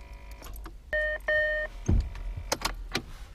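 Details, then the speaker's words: Land Rover Discovery TD5, key turned: two dash chimes, then a single dull clack and light clicks with no cranking. Starter motor solenoid contacts are likely worn and get replaced with an overhaul kit. "we put the key in the ignition and we give it a twist and all we get these a click now if you listen very very carefully what we're getting is a click"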